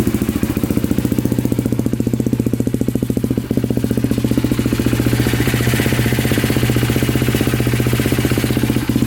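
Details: Polaris Predator 500 quad running on a battery swapped from a 400EX: steady, even idle pulsing about four times a second with no misses or knocks; runs clean and healthy.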